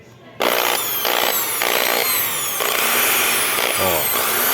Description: Furadeira Skil Causa do Barulho, o Fio Impedindo o Fechamento da Máquina, e os Parafusos Sem Pegar Apertos.